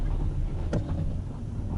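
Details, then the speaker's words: Toyota Esquire (Noah ZRR80) after replacing the humming CVT with a used contract unit, road test on icy road: low steady rumble, no whine, hum or clunks, accelerates quickly without jerks — normal CVT operation. "так ну что поехали прокатимся сейчас все тихо-спокойно нет никаких посторонних шумов кроме льда под колесами набирает быстро без пинков"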